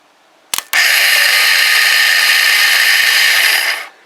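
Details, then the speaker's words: Kawasaki BN125 Eliminator, starter solenoid bypassed with a screwdriver; high steady electric whir for about three seconds as the starter spins but doesn't turn the engine over; owner suspects starter stuck or seized. "the starter motor is running but it's not turning the engine over so I think I need to get the starter off cuz I think it's probably stuck or seized or what have you"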